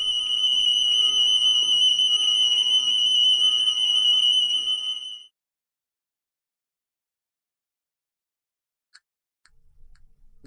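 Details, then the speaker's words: Church building fire alarm evacuation siren: a shrill tone warbling about four pulses a second. The system monitors smoke and heat detectors and manual call points, and does not call emergency services. "you will hear a wailing siren like this from the whole admin area you will hear a screeching siren like this one"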